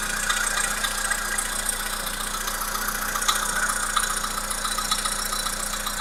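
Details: Volkswagen Polo Sedan 1.6 CFNA engine idling with a steady, fairly quick knock over the running note, about four per second; internal engine knock, cause not determined.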